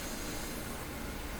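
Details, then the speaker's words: Sony TC-530 reel-to-reel tape deck being brought back to life, speakers on, volume down, no tape playing: steady, even hiss with a faint low hum from both speakers; amplifier hum and hiss, switches suspected. "here the amplifier hum and hiss coming out of here oh here I just hear that noise like that could be the switches"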